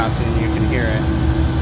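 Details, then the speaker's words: Beer walk-in cooler scroll compressor during pump-down: low steady hum with hollow rushing, no load change; still cold suction and hot discharge line but internally bypassing, compressor needs replacing. "you can see so it's running it's still got a cold suction right still has a hot discharge wine but it's just internally by passive"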